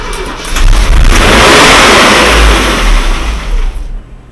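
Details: Mercedes W126 with carburetor swapped for one from a 123 while hunting high idle and an air leak: engine cranks, catches quickly and revs cleanly before settling near 800 rpm, no misfire or stumble; starts and runs properly.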